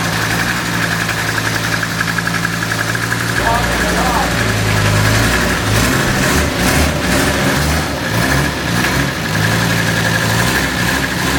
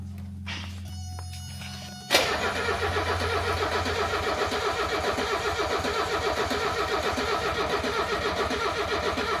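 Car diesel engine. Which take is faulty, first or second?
second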